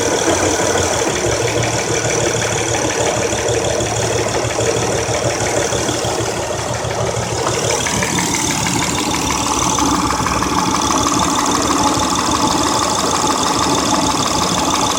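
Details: 2003 Honda Accord EX 3.0L V6 6-speed, 171k, 250A alternator and K&N filter, after new plugs/coils with blinking CEL P0300, P0303-P0306: idle stumbles with uneven skipping beat; misfire caused by one dead-on-arrival new coil.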